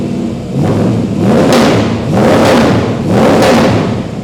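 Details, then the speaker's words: Freshly swapped 350 crate V8 in a 1951 Chevy 3100 farm truck, just first started, oil pressure 20 on cranking: deep rumble swelling and easing with slow throttle blips, smooth and even throughout. Normal running. "All right, there you go. I'm done. Turn the key off. Told you I was going to have it fired up today."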